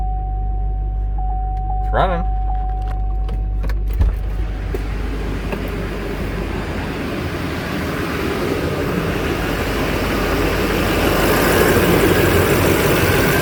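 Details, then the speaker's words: Duramax diesel, first start after repairs, fuel low in the tank: brief window motor whir, then steady even diesel idle rumble, earlier popping gone, no misses, no smoke from the tailpipe; normal idle. "i'm just looking for leaks i already can tell that the popping noise is gone seems to be idling pretty smooth no smoke out the tail bite"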